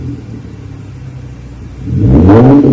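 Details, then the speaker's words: 2013 Hyundai Genesis Coupe 3.8L, rear muffler removed, split Y-pipe axle-back with factory resonator and cats, 3.5-inch dual burnt tips; cold exhaust may briefly backfire; low even burble swelling to smooth deep roar on rev, no popping or rattles; normal. "Sounds pretty good. Should be what the customer's looking for."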